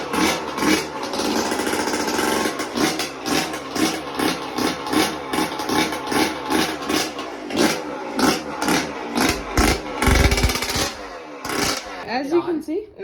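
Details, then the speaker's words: Yamaha YZ125 two-stroke after a new piston and honed cylinder, which previously was weak and wouldn't start: crisp, repeated throttle blips with a quick return to idle, no bogging or rattle; healthy. "As you can see, turned on nice. Like, it took a little bit because I got a brand new piston, but sounds nice, sounds good how it used to."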